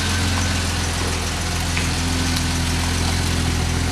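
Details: Jeep Wagoneer XJ idling after its warm no-restart fault was fixed by bypassing the fuel pump ballast resistor. Steady, even low idle with a smooth pulse and no misses, knocks or hunting: normal idle.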